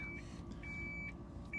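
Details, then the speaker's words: Lexus SC430 memory seat reset after battery disconnection, seat moving back: steady repeating high beep about twice a second over soft motor hum, like a backup alarm; normal memory-seat initialization. "It's the craziest thing, but can you hear that? It beeps like you're backing up a dump truck near a school zone to make sure the kids are okay."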